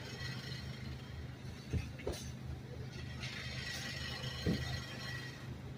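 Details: Subaru idle, low rumble with a few sharp rattly taps; exhaust system noisier than it should be, cause not yet pinned down.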